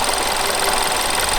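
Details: VW Golf Mk6 1.4 TSI at idle before timing chain replacement: fast dry metallic rattle over the idle, almost diesel-like, from a worn timing chain.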